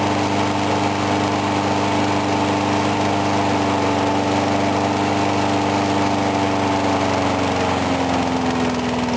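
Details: Briggs & Stratton mower engine cold-started at 35°F after long sitting, water suspected in the gas; started first pull. Even steady drone dipping slightly in pitch near the end, no sputter or surge; normal steady running.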